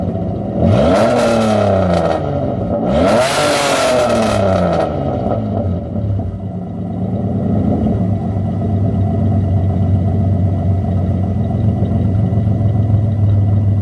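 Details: Mitsubishi 3000GT SOHC with gutted catalytic converters, some exhaust fasteners snapped and a thicker gasket fitted: two sharp revs then loud raspy rough idle; owner suspects slight exhaust leak or just gutted-cat noise, not confirmed.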